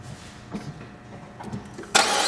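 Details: 2007 Saab 9-5 2.3L turbo 4-cylinder, automatic, FWD, about 124,000 miles, front-end damaged: quiet fumbling, then engine catches cleanly into a strong, even run with no misses or knocks.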